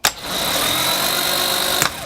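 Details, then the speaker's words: New starter motor from VW T3 Combi Subaru swap, run directly on the bench: thin, weak high whir under two seconds, spinning slowly; one brush spring broken and commutator track quite dirty. "T'as vu comment il tourne pas vite? Regarde, il tourne plus là. Le démarreur il est mort."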